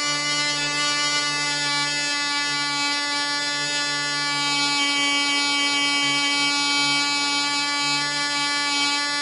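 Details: Black Widow mouse racer glow engine (high-compression head, 5x3 prop, 24% nitromethane) on its first test run. A steady high screaming drone at constant speed with no falter; it runs smooth but perhaps slower than expected and won't cut off when the vent is closed; owner suspects an air leak.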